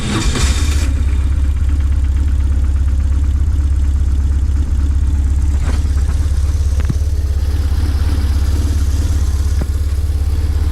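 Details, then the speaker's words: 2001 BMW R1150GS boxer twin with 35k miles, not ridden for a while, which the owner says runs great with no issues: a deep, steady idle with an even beat and no ticks, knocks or misses. Normal idle. "The bike itself, it's running great. It has no issues at all, so everything works."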